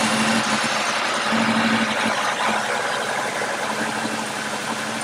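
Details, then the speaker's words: Warmed-up engine in closed loop, in the shop, with the check engine light on and sometimes blinking. An uneven, stumbling beat about three times a second at idle: a misfire. It smells rich and bogs on hills. "Kind of hard to tell on the video, but it's clearly got a misfire. It smells rich, it bogs down trying to go up a hill, and it just overall isn't running good."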